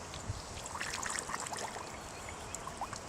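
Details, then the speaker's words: Shot lead-acid car battery being restored, emptied and each cell filled with a baking soda solution: constant soft fizzing and popping like poured soda, gurgling strongly as the solution reacts in the cells. "it's bubbling like crazy. You want to fill every cell up with this stuff. Fill them up. Let it bubble."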